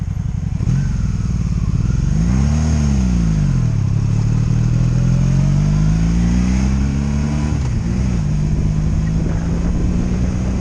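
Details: 2002 Honda Magna VF750C during a rebuild, first warm test ride running non-stop, with no ignition cuts or bucking; jerky transmission noted. The engine note rises and falls smoothly through the gears without stumbling. Normal running.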